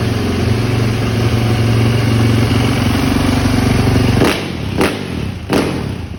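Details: 2010 Yamaha YZ450F after hard-starting fix with new cams and new fuel pump, valve clearance checked: strong, even thumping idle for about four seconds, then cut and a few clean blips; big single runs and revs normally.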